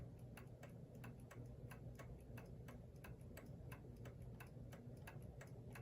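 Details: New Haven Clock Company Horace model pendulum clock, movement about 42 years since last oiling, pallet clean: soft ticks evenly spaced, roughly four to five a second, no limp in rhythm; clock in beat.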